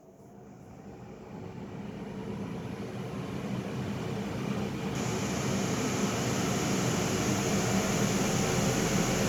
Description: we are facing this issue with our aircon, it has a very loud noise on startup as shown in the video and then it doesnt give any air and coldness, it seems off aftee that.